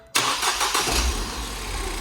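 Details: Fire-damaged Ford Fiesta ST during its rebuild: engine cranks briefly, catches cleanly and settles into a steady idle without stumbling or misfire. Normal start.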